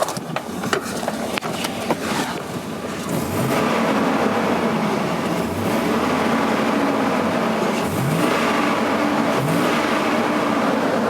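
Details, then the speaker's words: 2001 GMC Sierra 2500HD revved after installing an AIRAID modular intake tube: slightly throatier, with a hollow sucking rush rising and falling with each rev; owner suspects a possible vacuum leak. "it does sound different when i throttle it up i hear the throatier sound but i also hear the like this suction this sound which maybe that's just what it's supposed to sound like but i never noticed in the other videos"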